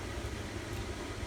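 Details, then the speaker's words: Camper furnace first fired from a newly wired Honeywell 2300 home thermostat, purging after ignition: even low blower rumble with steady airflow, no scraping, squeal or flutter. Normal furnace running. "It's got to purge. What? It's purging itself."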